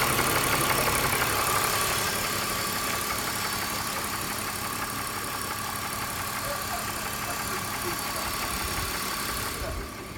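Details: Cold-start idle on a BMW M54B25 with 5W-40 oil, oil pressure light going out 2 seconds after the charge light: even idle with crisp regular tapping about three per second over the engine; engine knock, cause not pinned down.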